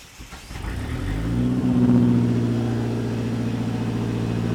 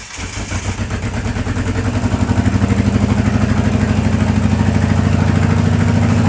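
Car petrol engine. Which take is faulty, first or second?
second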